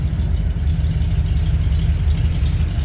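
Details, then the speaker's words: Ford F100 FE V8 that has been sitting, started on starting fluid, cold, choke pulled back out: steady, even low rumble with a regular beat and no knocks or misses; normal cold idle on choke. "Okay, start it up. Okay, we're back in business. Take off the choke a little bit. Give it some gas. pull the choke back out."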